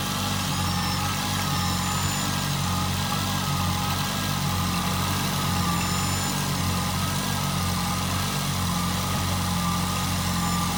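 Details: Nissan Altima: a smooth, even idle with a steady low rumble and no puffing or ticking from the manifold. It sounds sealed and healthy.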